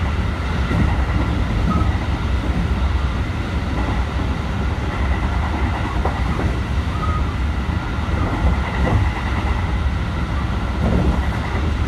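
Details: JR Biwako Line 223 series 2000 subseries Special Rapid, Yamashina to Kyoto, onboard running sound: heavy low rumble with a repeating thump from a wheel flat spot.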